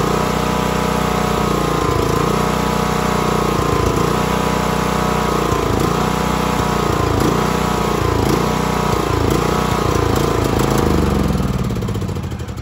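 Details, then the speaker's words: John Deere LA115 riding mower that dies after 30-45 minutes of mowing: engine dips and surges every couple of seconds, can be kept alive by feathering throttle, then dies; fuel starvation from clogged vented fuel cap causing tank vacuum, fixed by opening cap. "so it does that and you can actually feather the throttle and keep it running but it just eventually it just dies"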